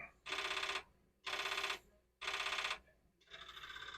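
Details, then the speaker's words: Commodore 4040 dual disk drive, running a catalog on drive 0: buzzy half-second bursts about once a second shift into a steadier rattling chatter. This is an abnormal read noise. "Just for fun, I'll try catalog D0. And that just doesn't sound right."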